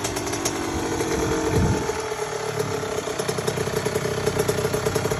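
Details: Honda CR80 two-stroke just after a troublesome rebuild, not yet fully torqued down: fires up, blips revs once, then settles into a steady even idle; runs clean and healthy.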